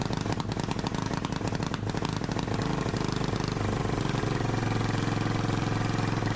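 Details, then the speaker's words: Yanmar-clone 186F single-cylinder diesel from a generator, now on a Gravely walk-behind tractor, baseline before tuning: flat hard drone tops out around 3100–3120 rpm, below 3500 rpm goal, seemingly hitting a limiter and very smoky, with white haze. "And we're not quite hitting that. It sounds like we're hitting rev limiter and it gets really mad and really smoky at like 3120."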